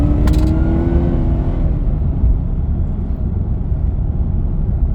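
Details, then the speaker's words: Supercharged V8 Ford BA Falcon Fairmont at full throttle on a country road: a thin steady supercharger whine sits above the road rumble and eases off afterwards, normal blower noise, silent when cruising. "All right, let's see what she does now. So, I'm sure you guys can hear the supercharger now."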